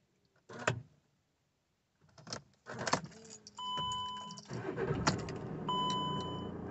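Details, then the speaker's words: VW Crafter, hot restart after a 20-minute test drive, following replacement of the worn crankshaft pulley: key, a short crank and a prompt catch into steady idle with dash chimes; the P0016 cam/crank correlation fault is gone and it starts normally. "Change the crank pulley and the camshaft and crankshaft correlation has disappeared. The van is starting and driving as normal."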